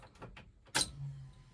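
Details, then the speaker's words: 1968 Ford F100 with LS swap, first key-on after wiring the fuel pump relay: a click, then a short low electric hum about half a second that stops on its own; the fuel pump primes and times out like factory. "oh yeah times out just like Factory 2 that's going to be super nice"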